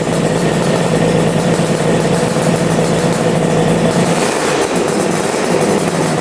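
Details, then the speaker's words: Engine with two carburetors started after refuelling: loud, steady, even idle with no misses or stumbles, now running on both carbs after the right carb had seemed to use no fuel. "oh that thing is insane yeah running good running on both carbs that sounds so good"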